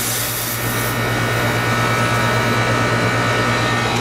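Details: Old Goodman 3.5-ton outdoor condenser, set to cool at 70°, about 70–75 lb on gauge: steady low hum with an even fan rush, no rattles or squeals; runs normally.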